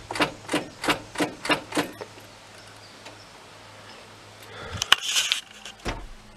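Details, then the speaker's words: 1995 Ford F-350 7.3L diesel that won't start. Six sharp clicks about three a second, then near silence and no cranking. Battery is fine; owner suspects the starter solenoid isn't engaging, unconfirmed. "maybe that's a soul Knight on a starter it sounds like sounds like the soul Knight isn't"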